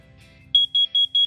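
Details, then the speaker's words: First Alert BRK CO250B carbon monoxide alarm test after new battery installed: four quick high shrill beeps in even rhythm, normal test pattern. "you'll hear one beep then four more and then you'll hear four beeps again"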